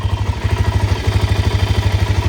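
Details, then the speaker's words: Suzuki LTZ 400 low-hour quad at idle: even steady thump about ten beats a second with no ticking, valve noise or cam chain noise; runs quiet, normal idle. "she definitely runs good everything works lights work nice and quiet definitely don't hear that"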